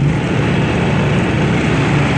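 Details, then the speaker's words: Three Honda inverter generators (EU2000i, EU3000i) paralleled through an autotransformer to start a 3 hp 240 V well pump, eco throttle off on all three, one still warm: a steady, even drone at full speed with no hunting or knocks. Normal full-throttle running. "So they're all running full blast."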